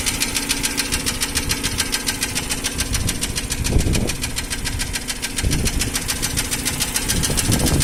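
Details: Nissan Almera N16 engine: quick light ticking about three or four per second over a steady idle. Appeared about 3000 km after piston rings and valve stem seals were replaced; unaffected by speed. Cause was tight (insufficient clearance) intake valves.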